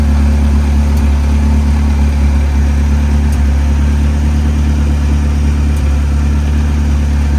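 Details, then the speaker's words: Saab 900 turbo, warm engine at idle: a deep steady rumble with an occasional faint stumble. It is a very slight misfire at warm idle, before new spark plugs and a distributor rebuild. "in short when this car is warm it has a very slight misfire at idle I'll play a video clip of what that sounds like right here"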